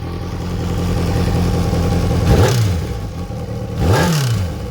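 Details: Kawasaki ZXR 750: a rough clattering idle with two quick throttle blips and a rattly knock under the revs; during the repair the exhaust cam timing was found one tooth off.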